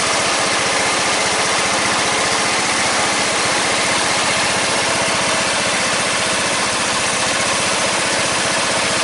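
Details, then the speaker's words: 14.5 Briggs & Stratton single-cylinder lawn tractor after a no-start fix with a new fuel line, running with the breather on; fast, even putter holding constant speed with no stumbling or surging; normal idle, repair successful. "Looks like that was the problem. So red tractor's back up and going again. Pretty happy with that."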